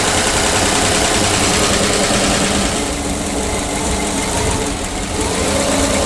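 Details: PAZ-672 bus engine at idle after valve clearance adjustment with valve covers refitted: even, settled idle with a steady mid-pitched drone and no top-end tapping; the previous knock is gone, engine sounds healthy.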